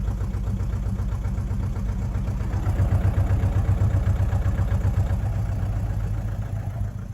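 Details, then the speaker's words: Mazda 6 diesel that would not start with no fault codes, running after intake wedged open to breathe: uneven lumpy wavering idle with heavy smoke; rough idle, cause not yet clear. "So we're running, but it's not running right."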